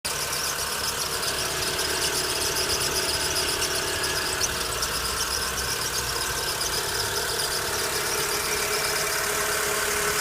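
Constant high-pitched squeal over a steady idling engine, no change in pitch across the clip; the source isn't clear.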